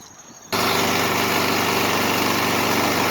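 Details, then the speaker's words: Kohler 149cc small engine after repairing a blow-by problem, run without an air cleaner cover: fires straight away and settles into a fast, steady buzzing run with no hunting or sputter, warming up. Normal running. "I'm going to let the engine warm-up to its normal running temperature"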